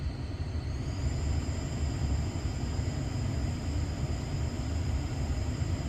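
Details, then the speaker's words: 2018 Dodge Ram 1500, bad blower motor before replacement: a thin high squeal rides steadily over the fan's airy rush and steps up in pitch as it speeds up, with some unrelated beeping. "All right, if you're not familiar, this is what a bad blower motor sounds like. Not the beeping, of course. You hear that? You hear that squeal?"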